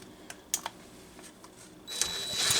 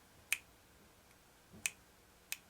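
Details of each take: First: McCulloch Pro Mac 55 chainsaw, spark checked before carb work: starts, then a loud, busy two-stroke buzz climbs and settles at steady revs before shutting off; saw runs fine. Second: McCulloch Pro Mac 55 chainsaw, Walbro SDC-58A carburetor removed, engine not running: stiff diaphragm flexed gives three sharp dry crackles; moisture and dried fuel had got inside; hardened carburetor diaphragm needing replacement.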